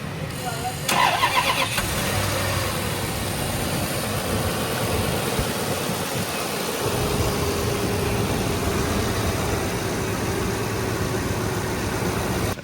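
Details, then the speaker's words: Land Cruiser after engine overhaul, wiring harness repair and new connectors, cranks and starts, then settles into a slightly lumpy, uneven idle; one fuel injector gets no electrical power or voltage, and the electrical fault is still being inspected. "അവിടെ നമ്മൾ ഇലക്ട്രിക്കലിൽ ചെറിയൊരു issue വന്നിട്ടുണ്ട്. ഒരു fuel ഇഞ്ചക്ടർക്ക് electric power എത്തുന്നില്ല, voltage കിട്ടുന്നില്ല."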